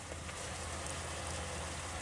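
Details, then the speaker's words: 2001 Pontiac Aztek GT front sunroof drain tube, headliner removed, after blowing out to fix the sunroof leak: steady even trickle and hiss of water with no gurgling or backing up; drain flowing clear. "So it seems like both of these seem to be okay now. That one's really good. You can hear that one."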